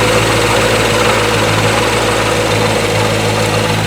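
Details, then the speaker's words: 2019 Corvette C7 Grand Sport with a newly installed Magnuson TVS2650 supercharger, just after first fire in a cold garage. A steady, even idle with a faint constant blower whine over the V8 rumble; no leaks, idling nicely. "back around i don't see any leaks i don't smell any fuel sounds good idling nicely"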